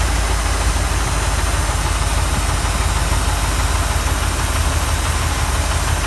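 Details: 1979 Mustang Ghia 5.0 V8, stored three years: deep lumpy idle with irregular low thudding internal knock beneath the exhaust rumble; source unknown.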